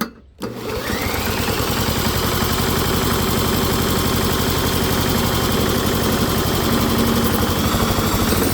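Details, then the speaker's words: Warmed-up modified lawnmower engine, built as a hot-bulb semi-diesel, with the stack replaced by a normal spark plug, running on pure diesel fuel; fires after a brief crank into a quick, steady rattling run, running properly. "Hell yeah, it runs a lot better with the spark plug. So yes, a gasoline engine will run on diesel fuel with a normal spark plug, but the engine has to be hot for it to start."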